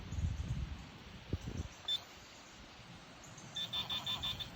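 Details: Garrett Pro-Pointer AT pinpointer during detection-distance tests with coins: a short high beep then about five rapid high-pitched pulses over a quiet background, signalling a metal target.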